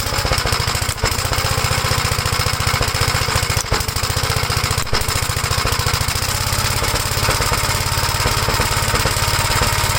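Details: 1956 Gravely L single-cylinder tractor running the 1957 LI carburetor, bell crank changed for the governor rod: fast uneven chatter with stumbles and dropouts; still rough, owner suspects an earlier governor runaway to full throttle damaged the head gasket or something else.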